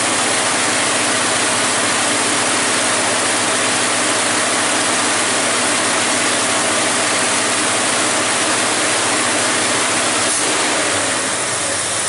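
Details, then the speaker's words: 1978 Chevy K10 350 V8 after intake manifold gasket replacement, distributor set by eye, timing light not yet used: fires up and holds a steady, even idle with smooth hiss, no knocks, misses or ticks; runs fine. "you seen it did fire up it does run don't sound bad"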